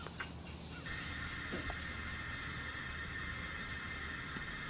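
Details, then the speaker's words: Ground microphone on a pressurised water line over a known slab leak; a steady high hiss with a thin constant tone grows louder, loudest on this line, pinpointing the leak; slab leak water noise. "It's getting louder. Definitely getting louder. And that one is screaming. Okay. So, what that tells me is I know the leak is here. It's on this line because it's as loud as it is."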